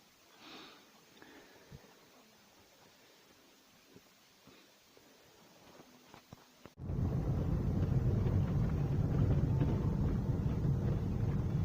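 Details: VAZ 2108/2109/21099 after steering rack repair with pipe insert (tie-rod ends, ball joints already replaced): while driving, quiet cabin with small clicks and steady road rumble, steering rack knock no longer present.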